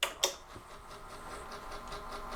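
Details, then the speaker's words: AT&T 3B2/310 Unix computer (c.1984), first power-on with floppy cables connected: sharp clicks then soft pulsing whir as the floppy drive spins constantly, later giving up on booting from it; cause unknown. "Yes, the floppy drive is making noise constantly. I just plugged in its power and data cables and it's just spinning constantly."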